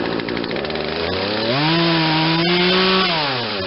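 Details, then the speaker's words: Poulan Wild Thing 40cc 18-inch two-stroke chainsaw with replacement aftermarket carburetor, being tuned: buzz climbs unevenly when throttled, holds briefly, then sags toward idle; hesitation on acceleration, possibly needing more fuel on the high-speed jet. "Still has hesitation on the acceleration. I'm going to see if it needs more fuel on the high end."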